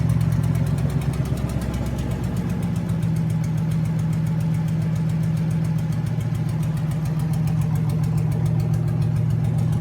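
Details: Junkyard 2009 5.7 Hemi V8, about 80,000 miles, with Hotwire harness and 09 Challenger PCM, idling on a run stand with coolant and fans running, no temperature gauge: even, deep low rumble, no knocks, ticks or misfires. Normal idle.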